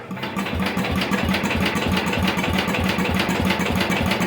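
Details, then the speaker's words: 1973/74 MTD 990 with a Briggs "Big Block" engine after a Flo-Jet carburetor rebuild and tuning, choke off: an uneven, hunting, surging beat around three per second. It keeps running out of fuel; a float problem and carburetor blow-by are suspected. "keeps running out of fuel and I'm thinking that's our float but"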